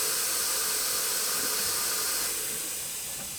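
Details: Porsche 996 Turbo, engine off, intake pressurized with shop air: loud steady high-pitched hiss easing slightly partway; pressurized air escaping somewhere in the intake, source not yet found.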